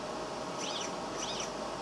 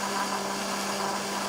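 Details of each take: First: DIY 3D printer X-axis with a 400 steps-per-millimeter motor, newly wired electronics: quick back-and-forth sweeps of soft stepper whir with no knocking or grinding, fast, snappy and quieter than the owner's other printer; normal, smooth axis motion. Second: DIY 3D printer Z-axis moving up and down: a steady buzzing hum with a sharp tone near 200 Hz. Owner attributes the noise to the noisy DRV stepper drivers and hopes Trinamic drivers will be quieter.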